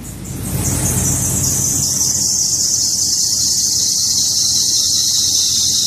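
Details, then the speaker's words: 1991 Toyota Corolla cold start at -30° (-50 windchill), kept in garage: loud, high, steady squeal easing slightly lower as it runs; a belt-driven accessory, likely power steering, protesting. "Sounds like power steering's not happy."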